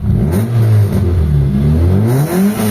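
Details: Mitsubishi Lancer GLXi after replacing the ignition coil to fix stalling while driving: engine picks up cleanly through quick rev blips and drops back without stumble or popping; even, healthy firing.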